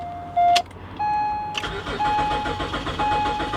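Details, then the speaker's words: BMW 325ci with 73,000 miles and little fuel in the tank, cranked on a booster pack: warning chimes sound, then the starter churns steadily with no firing. It cranks but won't start; the owner suspects rotten gas, unconfirmed. "Nah. It sounds like it's trying, but I would almost be willing to bet the gas in this is rotten."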